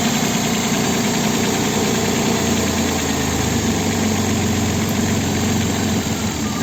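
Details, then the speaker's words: Opel Vectra B V6 (X25XE) idling on petrol, also shaking on LPG: rough, jerky idle with a dull uneven shudder; diagnostic graph shows cylinder 2 dead, worst of all, with problems also on cylinder 6 and slightly cylinder 4. "на бензині у нас бачимо ось другий циліндр він не працює бачимо графік Він дуже погано працює гірше за усіх"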